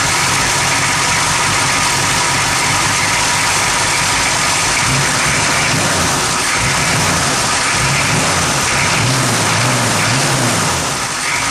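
Engine idles unevenly, the low beat wavering and loping instead of holding steady; rough idle, cause not yet pinned down.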